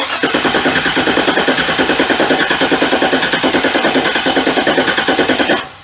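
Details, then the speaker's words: 1965 Chevy C10 cranking after a part swap from another truck: steady cranking with sharp loud pops, no catch; ignition timing way off, possibly a slipped belt tooth, plug found very wet. "Uh that sounds like a timing's way off. It just popped terribly bad."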